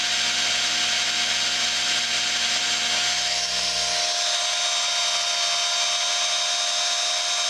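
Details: Work Sharp knife sharpener after repair of the broken plastic idler wheel: a steady high whir with an even hum and no knocking or grinding; sounds healthy.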